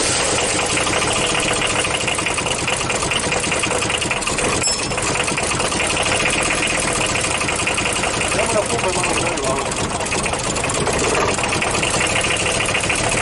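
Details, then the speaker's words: Audi diesel first started after at least 12 years standing, air bled from fuel lines, timing advanced, rotten leaking fuel pipe: loud, ragged clatter never settling into an even beat; rough running on first start with heavy smoke. "Run it. Let him work a little longer Look at the smoke behind the car Listen to how it works It smokes a lot."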